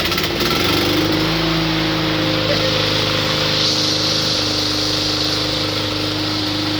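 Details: 2004 Cub Cadet Cyclocut mower, Kawasaki 179cc ~5.5hp, restarted after fitting a homemade air filter manifold; steady even running, no misses, surges or knocks; normal running.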